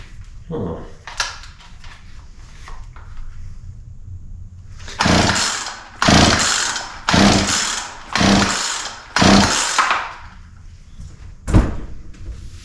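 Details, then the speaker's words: Poulan P3314 33cc chainsaw, chain off the bar, second start test after more carb cleaner (plug found dry); five or six pull-start bursts dying without catching: no-start; owner suspects wrong spark timing or low compression, though compression feels adequate. "all right so still no start which means that um we may yeah could have uh spark at the wrong time or uh I don't know maybe we don't have enough compression"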